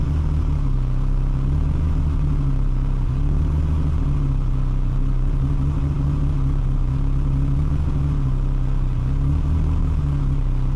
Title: Ferrari 360 rough idle